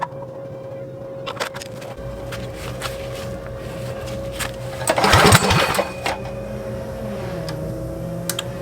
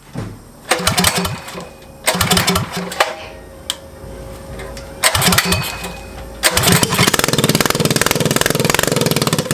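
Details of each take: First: Motovox mini bike with Predator engine, abandoned two years, after adjusting PZ27 carburetor air and idle screws: steady, even idle with choke open or closed, no stalling. Normal idle. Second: Motovox mini bike with Predator engine, abandoned outside two years: catches and runs briefly then fades out repeatedly, only runs on choke; owner plans to richen air mixture screw. Lean mixture.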